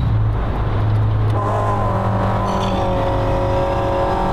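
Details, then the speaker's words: 1966 Pontiac GTO on what may be its original motor, revived after years sitting in a field: a steady low rumble settles into an even fast idle as fuel reaches the carburetor. Engine running on choke. "you hear it's starting to build up the carburetor that's a choke if I laid it down it starts to choking down"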